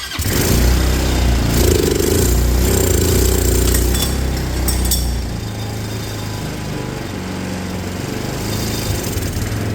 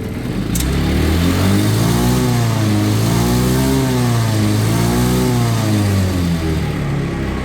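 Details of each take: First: Auction go-kart engine, running after the fuel system was fixed, airbox off: revs then settles into a low, lumpy idle near stalling; owner thinks the idle screw needs turning up. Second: Auction-bought, previously non-running red go-kart with a bad fuel system, airbox refitted and coolant topped off, cooling fan working: a clean, even engine note through two smooth blips with no misses or rattles, revving normally.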